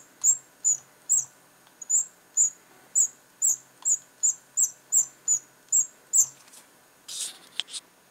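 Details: Razer Mamba mouse: shrill cricket-like squeaks about two a second from the scroll wheel as it turns.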